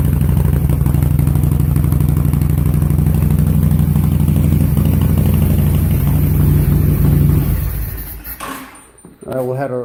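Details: 2005 Honda VTX with Cobra slip-ons and newly fitted air intake, cold: deep, even V-twin lope at a fast cold idle, no misses or rattles, then shut off. Healthy start; carb to be fine tuned once warm.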